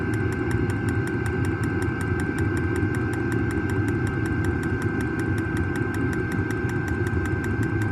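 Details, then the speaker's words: New diesel heater just installed in a Jayco Freedom caravan, heard from outside near the exhaust after start-up: even low roar with fast, steady fuel-pump ticking, burning smoothly; normal diesel heater running. "Turned it on, glow plugs heating up, pump's going. Certainly kicking in. You can hear it ticking away outside, that's for sure."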